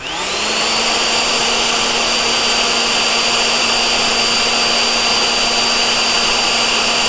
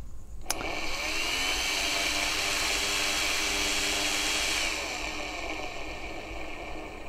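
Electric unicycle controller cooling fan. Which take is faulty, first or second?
second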